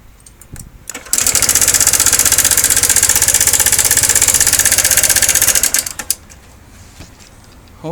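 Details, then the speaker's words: 2013 Honda SH150i scooter, new knock after belt and roller replacement, broken spark plug found: engine runs a few seconds with quick steady tapping about four per second over idle; owner suspects the valve adjuster. "Появился конкретный стук. Возможно, был и тот стук, но только он... ну тогда работала хорошо, она четко, тихо, ровненько работала. Ну а сейчас уже есть стук."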